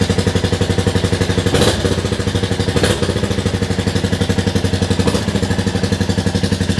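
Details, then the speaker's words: 2022 Royal Enfield Classic 350, rebuilt after theft, first start after reassembly, indoors: loud but even thump about four beats a second, no knocks or rattles, engine smooth; normal idle. "that sounds quite loud in here but I am indoors the Y that's quite loud actually engine's nice and smooth though"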